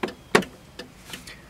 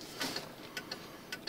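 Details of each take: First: 1995 Cadillac Fleetwood left turn signal after repairing the bulb socket, in quiet cabin: crisp relay ticks at even pace, two to three per second, unchanged with brake or headlights (previously sped up); normal flasher. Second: 1995 Cadillac Fleetwood, left turn signal after sitting out in rain: quick light ticking, faster than a normal flasher; hyperflash traced to a bad bulb socket contact.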